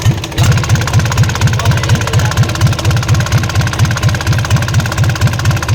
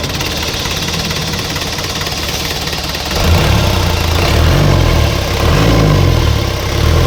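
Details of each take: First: Isuzu 4BC2 diesel jeep knocks at idle and when lightly throttled, a heavy regular knock about twice a second; traced to the injection pump, not inside the engine, so the pump is to be removed. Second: Isuzu 4BC2 diesel jeep engine after injection pump refitted, earlier knocking when revved: steady even clatter at low idle, revs up cleanly and settles with no sharp knock; normal running.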